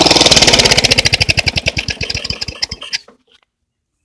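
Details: Small engine popping unevenly at idle, firing slowing and stumbling until it dies; owner suspects the carburetor diaphragm, not confirmed.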